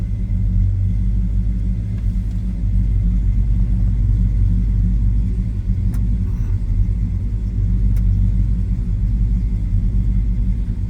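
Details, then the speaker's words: 1966 Chevrolet Chevelle SS 396 big-block V8, 4-speed manual, idling: deep, even, lumpy rumble with a few faint clicks on top; normal healthy idle, throaty exhaust note. "I told you it was a good sounding car. A little rumble coming out of that big block. Nice, deep, throaty exhaust note."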